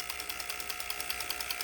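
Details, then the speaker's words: Junkyard Land Rover ABS solenoid pack driven by a homemade oscillator and flip-flop switch bleeder with pump motor running continuously about 10 minutes; steady high motor whine with crisp even clicks about ten per second, nothing hot, fuses intact: normal operation. "well we've had it running for about 10 minutes nothing's hot fuses aren't blown it's time to shut it off"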